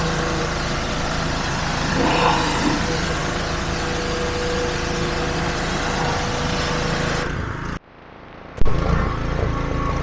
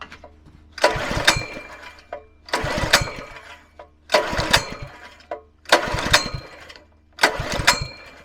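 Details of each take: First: Petrol pressure washer after replacing the seized pump with a new FridayParts pump, spraying with a leaking hose fitting: steady small-engine drone holding speed under spray load with even pump hum, then brief drop-off; normal running under load. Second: Scrap petrol pressure washer engine, previously wouldn't turn over due to seized pump, throttle about halfway: five recoil pulls about every 1.5 seconds, each a short rattling spin that never catches; hard starting, later started with brake cleaner.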